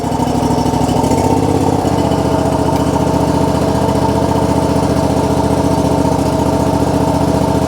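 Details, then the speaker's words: John Deere GX255 lawn tractor 22 hp Kawasaki twin, previously rough and sputtering at idle, starts without choke and settles into even, steady idle after oil and filter change and new NGK BPR4ES spark plugs with dielectric grease; running smoother. "Already sounds like it's running more smooth."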